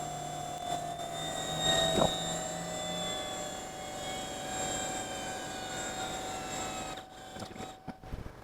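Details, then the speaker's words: LTO-8 tape drive (IBM-made, Dell-branded, external SAS) on HPE MicroServer G10+ v2, rewinding about 38 GB of written tape before restore: quiet, steady high whir at even pitch, no grinding or clicking; normal rewind, longer than expected. "So, that was longer than I thought it would be to rewind what is equivalent of 38 GB worth of tape."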